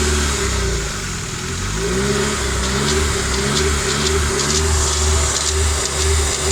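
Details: Newly rebuilt Nissan SR20DET revving through midrange: from about 3000 rpm a light metallic ticking rattle over the exhaust note, coming from the exhaust side; no VTC or wastegate play found; cause unknown.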